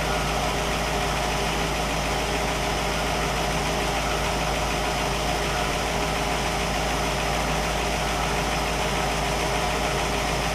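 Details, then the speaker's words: Normal warm idle of a 1960 Pontiac Catalina 389 V8 barn find, hooked to a 1960 Heathkit IO-20 ignition analyzer. The idle is smooth and steady with no misses or knocks, and the ignition system checks out fine. "so we've got a good running good working tester and a good running engine"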